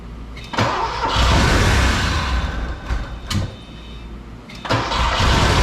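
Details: Porsche 928 V8, started after fitting all eight spark plugs and wires; owner suspects a fuel issue: cranks and catches, then holds an uneven, lumpy idle with surges and dips. Rough idle, cause unconfirmed.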